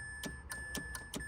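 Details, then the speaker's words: Mitsubishi Mirage park micro switch under the shifter: light sharp clicks, about six in under two seconds, over the key-in buzzer chime; switch clicks and triggers the ignition solenoid, normal. "When you push on that, you can hear it click, and you can hear it up in the ignition. It's releasing or kicking a solenoid."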